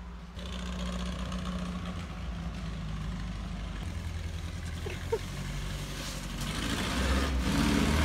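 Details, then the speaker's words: 1968 VW Baja Beetle flat-four after carburetor and timing adjustments: steady, even low thrum, no misses or knocks, revs rising slightly; engine much more responsive and happier after timing fix. Normal running. "i'm glad we adjust the timing because the engine is much more responsive and it seems way happier"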